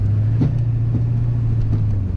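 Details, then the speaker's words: GMC Duramax dually pickup driving in four-wheel drive high: a steady low droning hum under road noise with soft repeating thumps about twice a second; 4-high still engages, but a driveline fault is present, cause unknown. "something's definitely broken down it definitely freakin broken but like I said I do have a 400 high which is weird"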